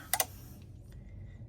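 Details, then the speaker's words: GE refrigerator after replacing control board: two quick doubled clicks about 1.5 s apart with no compressor hum; compressor not starting, owner suspects the new board is also bad; loose and broken wires found earlier. "See that clicking? That means this board is messed up as well. It's not supposed to be making that noise. Yeah. See, it's not kicking on because that is the problem."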